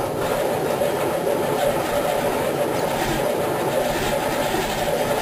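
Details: 1987 Wanderlodge PT40 bus with 8V92TA two-stroke Detroit Diesel, cold start after about five months sitting, prime lost, weak battery, camera outside: slow to start, then a loud, even, rasping idle with no misses or knocks; runs healthy.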